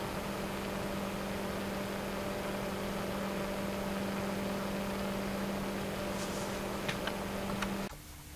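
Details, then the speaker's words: Noctua NF-P12 120 mm computer fan at 12 V, 1300 rpm, 0.09 A, with the microphone close: a steady even hum at one low pitch under soft air rush (partly from air over the mic), with no ticks or wobble; very quiet, healthy. "matter very quiet fan also moves a pretty good amount of air"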